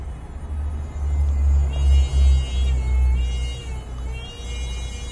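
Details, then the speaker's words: 2013 Honda Accord reversing slowly; a thin squeal wavering over the engine rumble, rising and falling with the creep; the rear brake pads look low and are suspected, not yet confirmed; brake squeal when reversing. "getting that squeal so that's a good indicator that it's going to be the rear brake pads"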